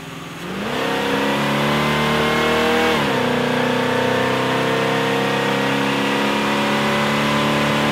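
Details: 1974 Pontiac Firebird V8 with carburettor on a dynamometer: pulls hard at full throttle with a ragged, stumbling note, misfiring.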